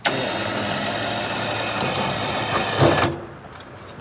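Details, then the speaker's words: Liftgator XTR liftgate after repairing a cable that came off its pulley: steady coarse grinding the whole time the lift moves, stopping dead when it halts. Something grinding in the side. Owner suspects frayed wires or cables. "What's that noise? Oh, something grinding in the side."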